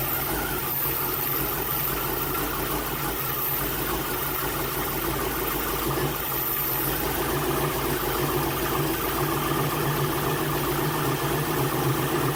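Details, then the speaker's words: Jeep TJ with 350 small-block Chevy V8 after installing Edelbrock 1825 Thunder AVS carburetor and 2701 Performer intake, plus some distributor cap tuning; smooth steady V8 rumble with even beat, no misses or lean pops; sounding pretty good, normal idle. "all right guys so a little bit of tuning distributor cap and now it's sounding pretty good"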